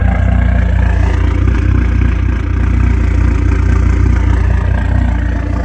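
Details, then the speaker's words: Dodge SRT4 turbo at 107,379 miles, many new parts: steady deep idle pulsing evenly with faint high turbo hiss, pretty loud; sounds good, normal idle. "You can always just faintly hear the turbo, but it sounds good. It is pretty loud, as you would expect."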